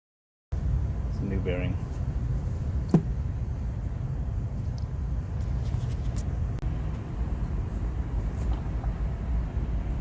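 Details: Carrier rooftop unit 20 hp motor after bearing replacement runs with a smooth, steady low hum and quiet bearings, no grinding, ticking or squeal; back bearing had failed.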